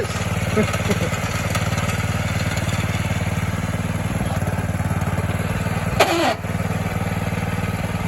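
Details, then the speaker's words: 1970 Sears 10XL garden tractor at about half throttle, shifting into gear: single-cylinder engine thumping steadily, then a brief harsh grinding burst on engagement; owner thinks the clutch needs more adjustment; gear grinding when shifting. "We'll have to give it some more clutch adjustment, it sounds like."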